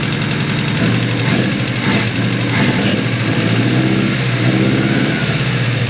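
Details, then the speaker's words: 1988 Mazda truck engine running out of the box with no adjustments, Spintech muffler, smelling slightly rich: small petrol engine revving with uneven, stumbling exhaust beat and dropped puffs; misfire, cause not confirmed. "Sounds like we got a misfire. Yeah, we got a misfire."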